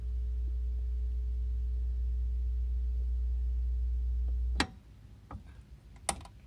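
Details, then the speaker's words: Wards tube stereo saved from the trash, volume barely up with audio source disconnected: loud steady deep hum with a faint higher tone, then abrupt cutoff with clicks; owner suspects a shorted 6CA4 rectifier tube. "whoa do you hear that that's uh that's nasty sounding that's barely up and it's making that noise"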